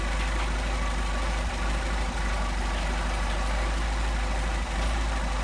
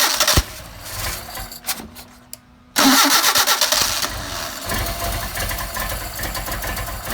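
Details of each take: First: Mercedes 190SL with Solex carburetors, idle mixture screw being adjusted: steady even idle, smooth low hum, no hunting; set at best idle speed before it drops off. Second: Mercedes 190SL with Solex carburetors, after sitting several days, warm weather, started with choke on: cranks, catches roughly, stumbles irregularly; engine flooded because choke was not needed.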